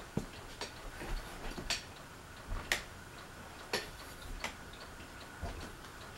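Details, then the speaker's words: Fasco Vanity Fair ceiling fan with a broken flywheel, running slowly on low: a soft, slightly irregular tick about once a second over a quiet hum, consistent with the loose housing. The owner thinks someone tried to remove the flywheel. "the reason why the housing is so loose is what is because I think they were trying to get the flywheel off and like repair and stuff something that's why it's so loose"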